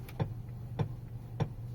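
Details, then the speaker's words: Geely Atlas Pro at 4,500 km: sharp single knocks about every 0.6 s over a low hum when the wheel is turned right; turning left is silent. Steering knock of unknown cause. "влево поворачиваешь тишина Ну вот всё нормально но вправо идёт стук влево крутишь нормально"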